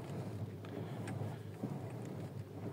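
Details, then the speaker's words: Audi TT Mk2 after replacing the front strut top mounts (shock absorber cups): wheels turned at idle on gravel, with only faint gravel crackle over a low idle rumble; the earlier clack-clack from the front suspension is gone. "Donc là, tu entends un petit bruit, bien évidemment, c'est le bruit des roues sur les graviers, mais t'as plus le clac-clac qu'on pouvait entendre avant."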